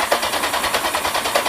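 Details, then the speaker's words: Kawasaki Z750 after starter motor rebuild, previously squealing and crunching for years; fast even cranking about six beats a second with a gritty crunch each turn; owner suspects starter motor or starter gears, common on old bikes, not confirmed. "Still a little bit of crunching, but it's probably just starter motor. There's not an old bike that I've come across that hasn't crunched a little."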